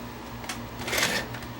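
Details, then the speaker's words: JVC HR-S7600 VCR after installing an emulator board to defeat the dynamic drum circuitry (failing drum gears had caused shutdown): quiet whirring and light clicks as the tape mechanism loads and plays without shutting down, operating normally. "Hasn't turned off. That's a good sign. Playing perfectly. Excellent."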